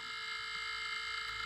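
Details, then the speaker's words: Taco 007 circulator pump on radiant floor heating, running hot: steady unchanging high buzz with a fixed whiny tone and rattling edge, noisy for a while; worn circulator pump cartridge needing replacement. "You can hear it's making kind of like a buzzing, rattling sound, and it's been doing that for a while, so it definitely needs replaced."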